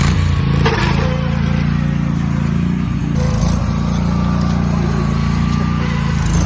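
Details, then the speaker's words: Craftsman hydrostatic garden tractor, Kohler V-twin, driving off-road under load: loud, uneven drone with sharp pops every few seconds; backfiring blamed on ethanol gasoline stored in it for a year. "Severe backfires caused by the ethanol gasoline that was put in it and stored in it for a year sitting."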